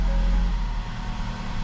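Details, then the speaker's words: 2012–2018 Ford Focus at idle after replacing a bad motor mount and broken bolt that had vibrated the whole car; low steady hum, no vibration or rattling, though a slight rough idle/hesitation remains (owner suspects dirty fuel or sensors); normal idle. "let's see oh no that's great no vibrations no rattling no nothing"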